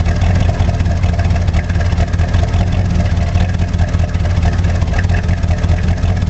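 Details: 1985 Chevrolet Monte Carlo SS V8 cold start, car sat 14 years, burns oil (valve stem seals), electric choke broken: heavy cold idle with a pulsing beat underneath; owner suspects rod knock but isn't sure.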